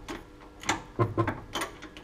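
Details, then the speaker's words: Mercedes Sprinter 313 front shock absorber: irregular sharp knocks, about five in two seconds, as the front corner is raised, wheel jerking; same noise occurs when turning the steering; worn front shock absorber knock, replaced with lower mount. "потому что он издаёт неприятный звук. Значит, сейчас, когда я начну поднимать машину, вы это услышите."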